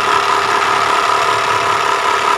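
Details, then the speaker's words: Mitsubishi Triton 4D56 diesel at steady idle with a hoarse, rough growl; loose timing belt, suspected from a non-original aftermarket tensioner, fixed by replacing the timing belt tensioner (adjuster). "Ini teknologi permasalahannya suaranya ngorok kayak gini Ok Rock Rock Rock Rock Rock Ya sepertinya ada di bagian timing belt"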